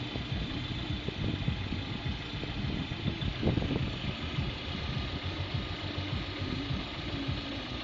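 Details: Lada Priora, 21126 engine, block bored for 82.5 Avtromat pistons with Prima rings, under 1000 km since rebuild: warm idle with a light, irregular engine knock that comes and goes; it knocks badly when cold until warm; owner suspects the camshafts.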